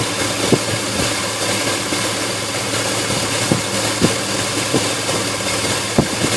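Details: Engine idling unevenly, with irregular knocks and stumbles about every half second over a steady low drone; rough idle.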